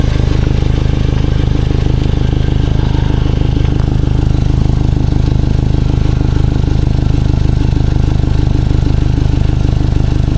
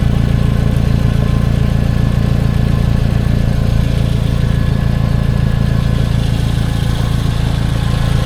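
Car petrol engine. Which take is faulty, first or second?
first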